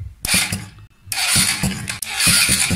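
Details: Generic Ideo 50cc two-stroke scooter after ground wire repair: starter whirs and engages in repeated short bursts, turning the engine over briskly and evenly, starter circuit working properly: normal starter cranking.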